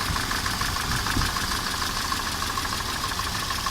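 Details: 1988 Mercedes 190E 2.0-litre at idle with a dull, regular tapping about three per second, loudest right after start before oil pressure builds. Owner suspects camshaft play in its bearings or clattering hydraulic lifters; unconfirmed.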